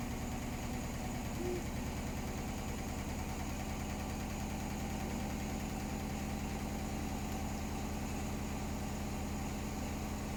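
A fast, steady thumping at roughly three beats a second runs through the whole spin; the load is badly out of balance.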